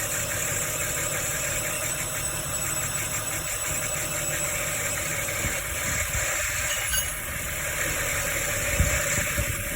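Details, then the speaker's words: Ford Falcon idling just after a DIY harmonic balancer replacement: a high, rapid squeak about three times a second. Owner suspects residue from cleaning spray; a wobbling pulley was noticed afterward. "Hear that squeaking? So hopefully it's just residue."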